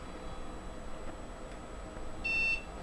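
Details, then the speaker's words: PC stuck at the ReactOS splash screen, keyboard unresponsive: a single short high-pitched beep, about a quarter second, repeating every few seconds on its own; recurring system beep during boot hang, cause unknown. "And that beep you heard there was not due to anything I did that does that anyway. If we just leave it alone for a few seconds, it will do it again."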